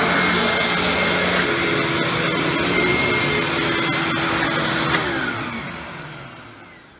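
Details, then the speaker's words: Hoover Windtunnel Supreme upright vacuum after motor replacement, test run: steady, even rushing motor roar without rattle or grinding, then smooth quiet coast-down instead of the old loud wind-down sound; normal running. "and it doesn't have that loud wind down sound anymore"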